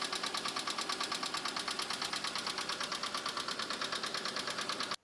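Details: Subaru STI, 38,000 miles, with Cobb Accessport, big SF intake and axle-back exhaust: sharp, fast clocking knock about three per second, steady at idle; owner suspects rod knock, plans to drop the oil pan, not confirmed.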